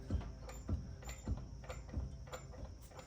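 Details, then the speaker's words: 2002 Ford F-350 with the front end jacked up and a bar levering under the tire: dull, low clunks about every half second as the wheel shifts side to side, loose metal knocking from worn front ball joints. "And we're going to pull up on that bar and you guys will see that tire actually shift side to side and you'll hear it"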